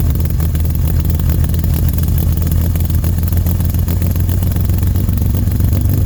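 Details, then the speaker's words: 1969 Jeep Willys CJ5 warm idle after a cranky cold start: it sat about seven months over winter with a dead battery, then was jump-started and primed. Low, steady idle with an even beat, no knocks or stumbles; runs good, idle smooth. "Runs good. Idle smooth."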